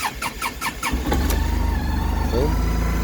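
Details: Kymco MyRoad 700i with a history of long cranking and hard starts; the crank sensor was replaced and a new battery fitted. About five quick cranking beats, then it catches within a second and settles to a steady idle: normal clean start.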